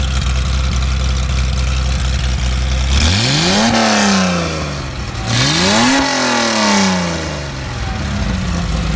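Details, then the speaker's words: Mercedes-Benz 300SL engine on test after re-jetting, not yet in the car or under load: even idle, then two quick blips climbing and falling cleanly with a sharp, crisp ripping exhaust at RPM; normal idle and rev. "Very nice. That sounded really crisp. I think we that's got a nice kind of a ripping sound of the exhaust at RPM."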